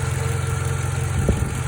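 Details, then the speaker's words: 2012 Toyota Camry at idle: a thin, steady whine above an even idle that stops when the alternator connector is unplugged and returns when it is plugged back in; the alternator is failing. "hey guys if you hear this wine and noise on your 2012 toyota camry and you want to see what's wrong with it watch i figured that it is the alternator"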